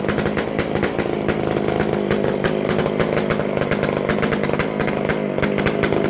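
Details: McCulloch Super Pro 125C chainsaw after base gasket changed and sealed, fixed-jet carb mixture turned out slightly; steady loud buzz at even high speed, crisp exhaust crackle, running smoothly, loud from missing muffler gasket.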